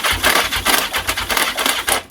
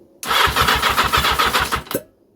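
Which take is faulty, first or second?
first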